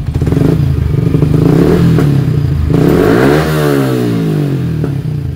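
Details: Yamaha Sniper 155 with MVR1 racing ECU revving unevenly with stumbles, pops and power loss, dying out; ECU and new spark plug checked fine; misfire traced to faulty throttle position sensor and clogged injector.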